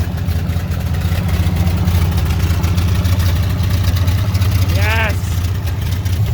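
Deep, even idle thrum with a steady beat and no misses, holding smoothly after the start; the engine is running normally.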